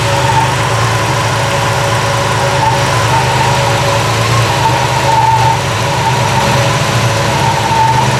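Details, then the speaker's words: Triumph TR6 six-cylinder petrol after a major tune-up (new plugs, wires, electronic ignition, coil, rebuilt Strombergs, valve adjustment): smooth even idle with the electric fan whirring and only faint valve ticking. "You can hear the sound of the electric fan that's turned on. You can barely hear the valves ticking because it's been adjusted properly."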